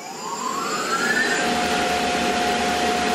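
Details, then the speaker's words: Tormach PCNC1100 mill after replacement of the rusty spindle with new bearings, panel on: spindle winds up smoothly then holds an even tone, motor fan hum audible; no bearing noise, far better than before. "wow that sounds so much better than before I can actually hear the fan from the motor on top like I can hear that specifically over the bearing noise and all that stuff there's no bearing noise bit of hum that's awesome"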